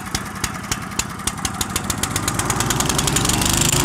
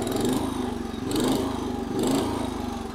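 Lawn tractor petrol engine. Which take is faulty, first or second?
first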